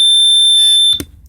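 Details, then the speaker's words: 1985 Sea Ray 270 boat cockpit bilge water, fire and fume alarm system: loud, steady high-pitched tone for about a second, then cuts off cleanly; the safety alarm works. "underneath here we have uh the alarm system this is that'll alarm you for bilgewater fire or fumes"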